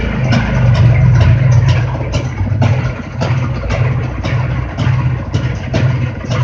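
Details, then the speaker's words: Jawa two-stroke motorcycle engine: revs rise and fall cleanly under music with no knock or rattle, running normally. "Ну шума у нас шума у нас нет стука та у нас нет вот"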